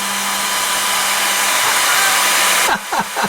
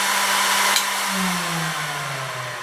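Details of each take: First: Cooling fan on a 20 W diode laser, remounted on rubber pieces with loosely tightened screws to cut vibration; smooth, steady whoosh with a low even hum and no rattle, then spin-down; running quietly after the fix. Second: 20 W diode laser module cooling fan spinning down after switch-off: whine falls steadily in pitch and swells briefly at one speed as the fan hits a resonant frequency, vibrating the module; suspected cause of wobbly engraved lines.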